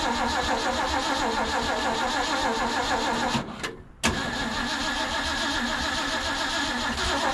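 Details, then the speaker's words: Abandoned 1950s Ford F5 tow truck with its fuel line hooked up cranks continuously and fast with a short pause but never fires. It is not pulling fuel, the owner suspects a bad fuel pump, and he plans an auxiliary fuel supply. "some reason we're not pulling fuel I don't know if maybe the fuel pump's bad"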